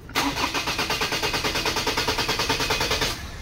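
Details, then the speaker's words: 2003 Ford Ranger automatic, engine hot: steady fast cranking at about three compression beats a second for three seconds, never catching; long-crank hard start when hot, traced to a dirty cam sensor. "Ayan po mga kalbaryo sobrang long cranking"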